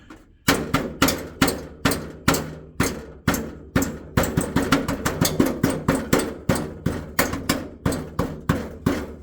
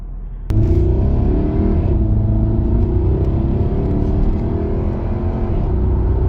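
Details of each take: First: Jaguar XK (X150), tapping underneath the car on the heat shield where the front exhaust pipes split; hard ringing metallic clinks from something trapped under the shield, which caused the rattle heard in the cabin when driving. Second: Jaguar XK (X150) 4.2 V8 road test at 50–70 mph after fixing a rattling heat shield: steady even engine and road rumble, no rattle or clinking; cabin now quiet.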